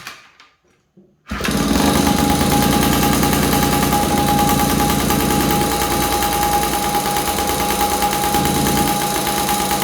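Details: 1983 Honda QR50, unrestored 49cc oil-injected two-stroke single; owner suspects a nudged part gave extra airflow: silence, then catches into busy buzzing idle with thin whine on top; engine starts and runs, cause unconfirmed.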